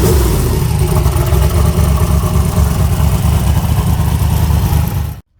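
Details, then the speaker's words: Nova with newly fitted S480 turbo, cold start at about 27°F: loud, lumpy idle with steady deep rumble and even firing; normal healthy idle. "She is. She's fired up and sounds good."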